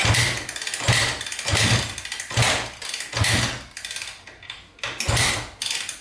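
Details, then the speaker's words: 2010 Honda CRF250R that wouldn't start after valve shimming, started with a priming-kick technique. The single cylinder holds an idle with a steady thump and a few throttle surges, now idling normally, though still somewhat hard to start. "Sounds pretty good. It's finally idling, so it sounds pretty good."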